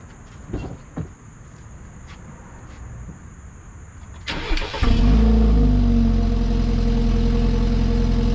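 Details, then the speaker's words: 2016 BMW 328i F30 after refitting the broken or missing clip on the active-sound exhaust flap actuator: brief crank, then a smooth, steady idle with no tinny exhaust rattle. Normal exhaust sound. "as you can see the exhaust sound is far less rattly i don't hear any coins or nothing at all in the exhaust"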